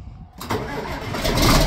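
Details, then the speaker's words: John Deere 4440 tractor diesel, barn find sitting about 12 years, new batteries, questionable fuel in tank: brief crank then catches at once into a firm, steady idle; clean, easy start. "I looked in the fuel tank does not look real good but we're going to send it anyway wow that was easy wow it started right"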